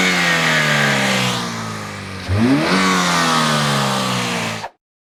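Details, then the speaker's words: 2007 Chevy Cobalt engine with oil replaced by 10 lb of melted paraffin candle wax, after running 5 to 10 minutes warm: picks up smoothly, revs briefly and settles back evenly with no knock or tapping, normal revving. "Uh it's been running for like 5 to 10 minutes and it's fine. Like it sounds healthy and it sounds good."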